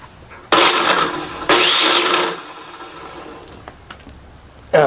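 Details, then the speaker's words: Hitachi miter saw after bearing replacement, still noisy; motor spins up in two short bursts with harsh rough whirring whine; motor bearing found falling apart. "I pull the one out for the motor and I can see that it's it's falling apart too"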